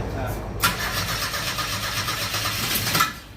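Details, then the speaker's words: 1977 Ford Escort, fuel tipped into carburetor with choke on: steady cranking for a few seconds, brief catch near the end, then dies; cranks and fires briefly but won't keep running. "Oh, yeah. She wanted to fire the old girl. She wanted to come back to life."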